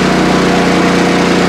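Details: PowerSmart 4400-watt RV-ready generator MB5040B under stress test with overload light flashing: steady, loud engine drone with low, labored pulse, no hunting; running at overload.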